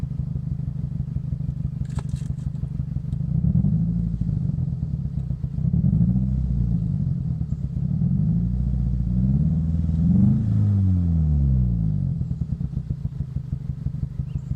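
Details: 2005 Scion xB, 135,000 mi, power loss and rough idle: lumpy, uneven idle with a stumbling beat and a missing pulse every few turns; one cylinder dead, found to be a bad coil pack on cylinder 4.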